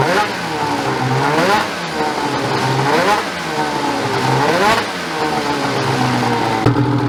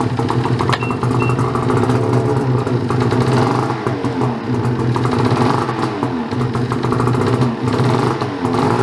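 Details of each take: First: Ski-Doo 850 turbo-modded snowmobile two-stroke after reed valve failure and replacement: crisp, clean throttle blips every couple of seconds, no misfire or rattle; revs freely and runs healthy once fixed. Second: Ski-Doo 850 turbo-modded snowmobile: engine catches and runs rough and uneven, buzzy and surging, never settling to idle, then dies; owner suspects a reed, compression check planned as it might be a piston.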